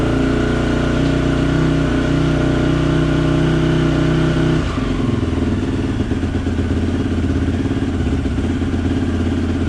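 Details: 2004 Honda CRF450R just rebuilt from the crankshaft up, run in the shop without its air filter: a loud single-cylinder four-stroke running steadily, a revved passage then settling into an even idle thump; sounds healthy after the rebuild.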